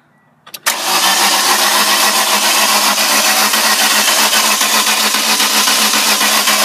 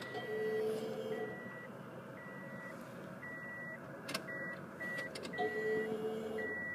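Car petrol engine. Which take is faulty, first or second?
first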